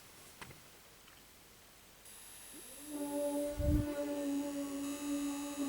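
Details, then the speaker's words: LJ44-00143A plasma TV, sustain boards ramping up at power-on after the blown 4.5 A fuse was replaced with a 5 A one: a faint high whine, then steady low humming tones rise and hold evenly; normal power-up, picture appears. "You can hear the sustain boards ramp up."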